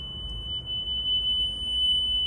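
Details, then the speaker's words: Nakamichi Dragon cassette deck with worn heads, after repairing its direct drive motor, playing a 3 kHz test tape: clean steady tone holding pitch, only slight residual wow; tape speed now stable. "Still a little bit of water. But at least speed stabilized. You see it's just getting better and better."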